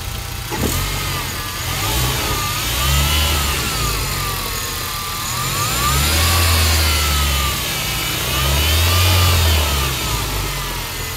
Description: This whining sound is due to a bad bearing on an idler pulley.